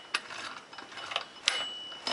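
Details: Scrambler ATV transmission, opened after metal found in fluid, shifted by hand with vise grips into forward, neutral and reverse: crisp separate metallic clicks, no grinding; normal gear engagement.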